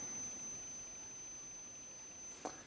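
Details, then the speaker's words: Vintage Polish Geiger counter through external speakers via added 3.5mm jack, switched on; thin steady high-pitched whine under faint hiss, caused by interference from internal high-voltage transformer. "Now just a quick word of warning, when I switch this thing on there's going to be a high frequency noise. Now that is caused because of interference by the high voltage transformer that is inside this unit,"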